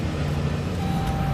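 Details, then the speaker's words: 2015 Dodge Caravan SXT wheelchair van, 31,690 miles, start: engine catches at once and settles into a steady, even low hum with no stumble or knock; clean normal start. "When I go to turn it on, fires right"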